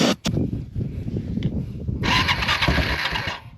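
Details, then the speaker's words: Yamaha Timberwolf 250 4WD ATV, believed a 2000 model, bought non-running, carb tampered, stored 5 years, starter relay jumped: cranks, briefly catches with rough burst then dies; has spark, owner suspects no fuel. Cranks, fires briefly but won't run. "hear that I got spark um it's not getting fuel so that's pretty cool"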